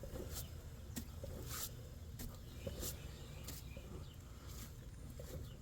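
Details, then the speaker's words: 2002-2008 Ram 1500 4x4 after installing a new Dorman front drive shaft, torqued down, weight on wheels, spin test: low even rumble with faint light ticks and no clanking; drive shaft turns smoothly. "No clanking. Nice and smooth."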